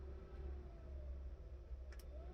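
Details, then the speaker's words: 1967 Mustang heater blower motor, fed directly through the speed resistor's medium prong while troubleshooting a non-working fan: smooth steady low hum, no rattle; resistor good, fault traced to the switch. "that's medium and high okay so i now know the resistor's good power is flowing through it"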